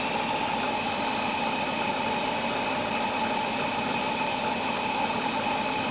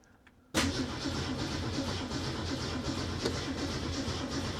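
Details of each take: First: 1967 Mustang with Holley Sniper 1100 EFI, first run after a faulty injector was found (correct injector still needed): steady, even idle with no misses or stumbles. Fuel pressure about 60–65, AFR about 14.2. Normal idle. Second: 1967 Ford Mustang with Holley Sniper 1100 EFI, cranking at about 10 V: steady starter cranking with even pulses that never catches or picks up speed; the engine won't fire, traced to a faulty fuel injector.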